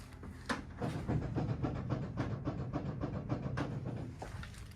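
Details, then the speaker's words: Hayabusa-engined Mini on new Nankang AR-1 tyres, car bounced on: loose dull clunks and rattles in uneven bursts from a slightly worn suspension rose joint with very small play, judged minor. "figured out actually when I got the wife to bounce on the car it's this Rose joint here it's got you can't feel it it's got very small amount of knocking it"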